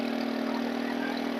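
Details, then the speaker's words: Stihl FS 110 4-mix four-stroke engine with a crank seal air leak: as the low mixture needle is leaned or richened, the high buzzy note hunts wildly, nearly stumbling and dying richer and revving very high leaner. It will not hold a steady setting. "so that is a telltale sign that if you can't if it won't adjust and it just goes to one extreme to the other from almost stumbling and dying when you give it just a little bit more fuel and whenever you lean it out the engine just revs high as a kite"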